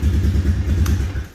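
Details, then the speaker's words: 2000 Honda TRX250 Recon ATV after fixing wrong spark plug, backwards-routed hoses and fitting a new OEM carburetor; fires right up, steady quiet idle with no pinging or knocking, healthy engine. "Nice and quiet. No pinging, no knocking, nothing. Can't even hear that engine running. It's so quiet. That's a healthy motor right there."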